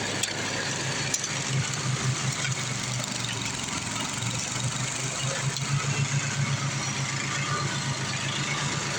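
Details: Craftsman 826 track-drive snowblower with a new 31-inch auger belt after the old one broke: the small single-cylinder engine runs steady with an even low thump and slight dips under load. Healthy, normal running.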